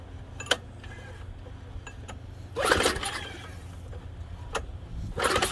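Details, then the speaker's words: Junk MTD snow thrower, primer used, fuel not smelling bad: a few short pull-cord cranking bursts, the engine turns over briefly each time but never catches or runs; a no-go, so the electric starter is tried next. "Nah. Nope. It's a no-go. But that's okay."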